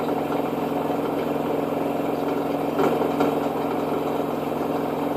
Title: Washer and dryer noise when it is spin!